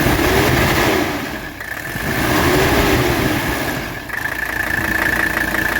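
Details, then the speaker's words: 1985 Mercedes 300SD diesel, cold engine, revved with oil cap set aside: clatter swells cleanly through two quick revs and settles evenly, no misses or knocks, no blow-by; strong, healthy engine. "so excellent engine condition no blow-by this is a strong engine"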